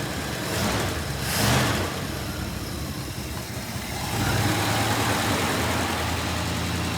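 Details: 1967 Plymouth Fury III (383 V8, per tags) on its first start in 15 years after fuel reached the carburetor: V8 burbles at an even idle, picks up cleanly on two quick blips, drops back smoothly; smoky, burning off dust; sounds healthy.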